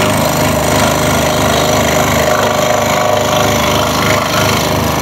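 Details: Scroll saw cutting a jigsaw puzzle, with the workpiece guided from behind the blade and little to hold: fast, uneven clattering over the steady buzz. The loosely held workpiece is hitting the saw table on each stroke.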